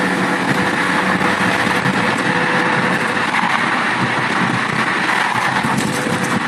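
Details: Car while driving, after caliper replacement: road hiss with thin steady high-pitched tone, loud at slow or fast speed, stops when brakes applied then returns; cause not identified.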